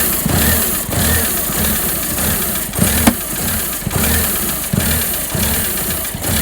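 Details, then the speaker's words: Project car with rough running and sensor errors, including a pressure-related code: rough, lumpy running that surges in heavy pulses with sharp bangs over the idle; banging source not identified. "tell where that banging noise is coming from so really can't tell i think it's coming from that is there anything in there that moves hopefully you could hear that banging"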